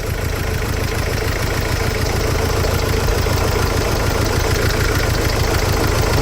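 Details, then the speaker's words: Mercedes Sprinter diesel idling with an uneven lumpy beat about two per second and rough clatter; definitely missing on a cylinder. Cylinder 2 smooth-running correction later found out of range; number two injector suspected, not confirmed. "but she's definitely missing"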